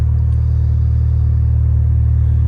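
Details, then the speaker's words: Mini Cooper cold start the next morning after limp mode the night before; steady, even low rumble with no knocks, misses or rattles, running totally fine, though the owner expects limp mode to return after a restart. "she appears to be running totally fine we'll even do a little pull with trash control off"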